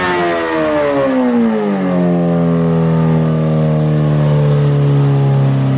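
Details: 2008 Suzuki GSX-R1000 on dyno, fuel pressure under 40 PSI at idle: note drops hard under load, then hangs flat and slowly sinks as pressure falls and it runs lean; pump can't keep up. Lean bog from fuel starvation.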